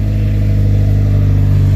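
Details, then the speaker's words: 8th gen Honda Civic Si after installing Fork can muffler, test pipe and PRL header, silencer still in, exhaust leak tightened: loud, deep, even drone as it's given gas, no rasp, ticking or leak hiss; healthy engine. "sounds good sounds a bit louder my son already wants to drive off hey let's give it some gas oh yeah sucker sounds loud"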